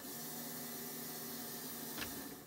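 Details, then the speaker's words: Twin LS (LM4) swap in a 30 ft Bayliner boat, no fuel in system, at key-on: quiet steady electric hum with faint constant whine; fuel pump priming normally. "here you can probably hear the pump when i power it on turn on so that's pump for engine number two it's engine number one"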